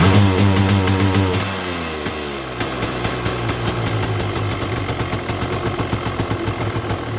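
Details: 1979 Yamaha Enduro DT175 two-stroke with oil injection, starts hard: revs briefly then drops to lumpy, popping idle that misses irregularly, won't pull cleanly, smoking; owner suspects right-side crank seal and O-ring, clutch likely also needs replacing.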